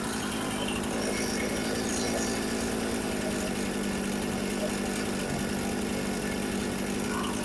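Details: Husqvarna 455 Rancher chainsaw, sat unused for a couple of years and would not start, now running after repair with idle turned up slightly: steady buzzy two-stroke idle, no surging, sputtering or dying; runs healthy.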